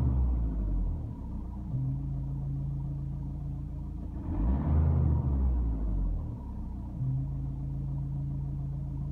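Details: Vauxhall Insignia 2.0 diesel (A20DTH): low steady droning moan over the idle that swells briefly, with vibration; caused by the turbo wastegate vacuum control, fixed by fitting a vacuum reservoir inline with the wastegate actuator solenoid valve.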